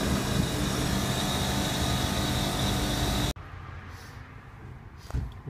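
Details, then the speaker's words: Hubbard refrigeration condensing unit for chilled drinks cases, compressor tripping breaker: loud steady roar with a faint high whine on top; condenser fan motor bearing going. "sounds got a bearing going in that f as well"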